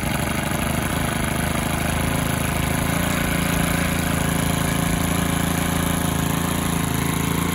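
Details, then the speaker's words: Stihl FS 110R 4-Mix trimmer on the bench, after new clutch shoes and spring kit: steady, even idle with soft regular putter, no surging or racing; normal idle. "all righty guys we got the little old steel uh four mix going one more time this thing idle's pretty dead coming good now"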